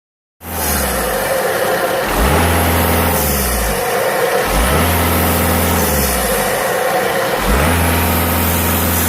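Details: VW Golf 6 2.0 TDI diesel, noise for some time when accelerating: revs rise and fall with a rising whistle and rough grinding between scraping and whistling; also white-grey smoke on acceleration, varying power, shaking engine at standstill; cause unknown.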